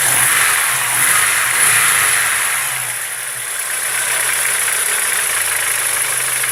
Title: Стук в двигателе